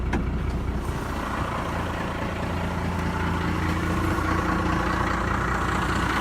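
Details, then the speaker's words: 1997 Ram 2500 12-valve Cummins diesel 5-speed 4x4, third time fired up, idling: steady diesel clatter with a faint even whirring over it; sounds like a pulley noise, cause unconfirmed. "Sounds like it's got a pulley going on."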